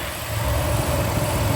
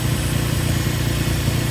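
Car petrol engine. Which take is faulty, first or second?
first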